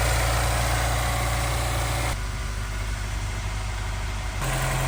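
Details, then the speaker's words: Honda S2000, 200,000 miles, earlier running on 3 cylinders with a rough idle, after new pulley bearing, plugs, valve adjustment and injector cleaning; steady, even idle with a smooth low hum and no knocks or ticks. Normal idle. "new pulley installed let's take a listen should be a bit smoother he the difference"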